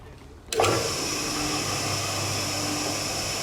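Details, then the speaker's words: Cement mixer single-phase motor, running during belt-replacement work: a clunk at switch-on, then a steady even hum with a faint constant whine and no knocking or rubbing. Runs smoothly enough; normal. "it runs smoothly enough"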